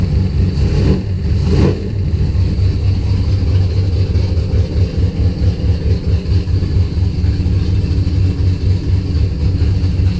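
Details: Engine after restoring spark to the coil, fuel pressure 50 after prime, running very rich and sneezing fuel: low idle surging and dipping unevenly about two pulses a second, never settling; rough, unstable idle.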